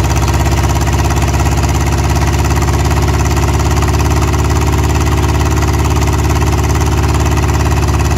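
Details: Rover P6 3500S V8, first cold start in 15 years after cleaning points and restoring fuel pump: loud, steady, even low rumble at constant idle with no misses or knocks; running smoothly.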